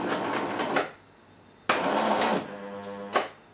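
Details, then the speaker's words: Jura coffee machine with front-mounted brew unit, malfunction reported: short bursts of motor whirring that labor, stall and cut out instead of completing a cycle; brew unit motor straining, suspected jammed brewer, not confirmed. "sounds like the Brewer is getting jammed and it is not doing a whole cycle"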